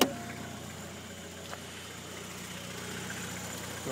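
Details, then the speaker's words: VW Passat TDI at idle, just started: quiet, steady idle with a soft, even diesel tick, no odd knocks or rattles beyond normal diesel clatter; a healthy diesel. "I'll rev it a few times no noise no rattles well other than than the the rattle that a diesel should"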